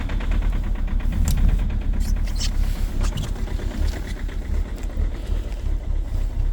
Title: COLD START at -16°C with a very strong knocking sound 2.0 hdi #rybin